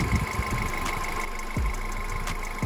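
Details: VW Polo Sedan (pre-facelift) idling after DIY injector cleaning with carburetor cleaner, engine cooled to about 30 degrees: low, quiet idle with a light steady injector tick, no misses or roughness, smooth and healthy.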